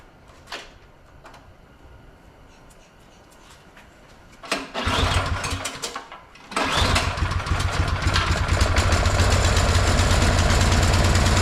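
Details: 22-inch MTD Yard Machine snowblower, owner thinks 5 hp 179 cc, after the carburetor main jet was drilled out and its cap epoxied back to cure surging: a couple of pulls, then it catches and settles into a steady, even run with no hunting.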